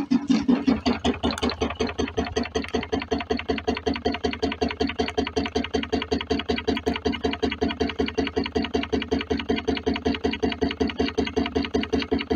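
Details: DIY wood-fired rocket-stove Stirling engine generator Mk4, after packing it away from the swing arm to stop its knocking: even chuffing beat about 158 per minute with no sharp knock between strokes; runs smoothly, to be warmed an hour before power testing.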